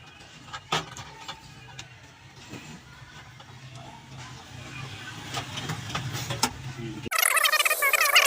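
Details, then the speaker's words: Microwave oven after its noisy cooling fan was removed and refitted, run for 30 seconds: only a soft steady hum with occasional light clicks, with the earlier fan noise gone. "ये देखिए इसका वो जो sound था वो वाला वो खत्म हो गया है"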